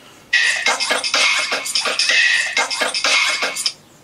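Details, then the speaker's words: 2009 Apple MacBook Pro 13 playing music through the original speaker: thin, harsh, very poppy and distorted bursts with no bass; the speaker is blown, suspected to have overheated after long playback. "yeah so it's very very poppy and distorted"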